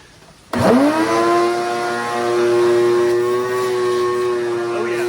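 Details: Shop vac tested outside after repairing its grumbling motor bearings and a radial fan that had backed off and caused no suction: it spins up fast to a clean, steady high hum with no rattle or grinding; normal running.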